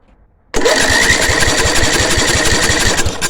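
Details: 10 HP Briggs and Stratton petrol engine with new spark plug and coil, spark present, fuel reaching carb, cranked on choke: rapid uneven chuffing for about three seconds, never catches; won't start, fires only with petrol poured in, cause unknown.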